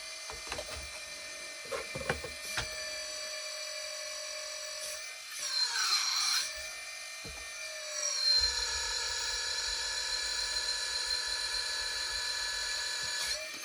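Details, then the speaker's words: Hydraulic pump of a 1/14 RC4WD bulldozer after tightening a loose fitting suspected of letting air in and topping off the tank: thin high electric whine that settles to a steady pitch with no sputter or air gulping, running properly. "All right. Looks like it's working pretty good now."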